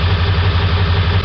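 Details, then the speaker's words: 1999 Ford 7.3 Powerstroke diesel, hard to start cold, loping with black and white smoke; high-pressure oil and IPR verified at cranking: rough lumpy idle, truck shaking; misfire from a failed injector. "that's all good truck shakin pretty good we do have a misfire"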